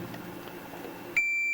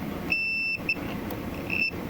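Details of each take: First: Multimeter continuity check of the shielding in a Farfisa O.R. 200 amp, at a point that tests well, unlike a poor spot near a screw head: a clean, steady high beep for about half a second. Normal continuity beep. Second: Continuity testing inside a Farfisa O.R. 200 amp during reverb shielding work: the meter's high continuity beep cuts in and out in uneven bursts over room hum, even on parts that tested good before. The meter's continuity function seems unreliable.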